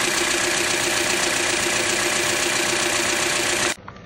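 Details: 2009 Toyota Corolla, about 185k miles, Mobil 1 0W-20 changed every 5k with Denso filter: busy, fast ticking over a steady petrol idle. No check-engine light. The owner checks the intake and exhaust VVT oil control valves but doubts they are the cause.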